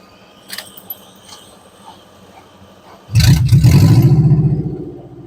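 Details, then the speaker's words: 1988 Subaru Loyale, saved from scrap, first start out of gear: a few quiet seconds, then engine catches at once and settles into a steady, even idle; starts easily. "that started really easy uh oh we might have to hang on"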